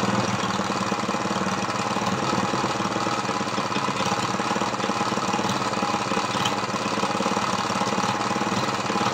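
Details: Ex-lawnmower Briggs vertical single converted to horizontal with an oil splasher; it had no compression, now 60 psi after lapping and adjusting the valves, and the carb leaks fuel. First run: uneven, loose chuffing at fast idle, running rough from low compression.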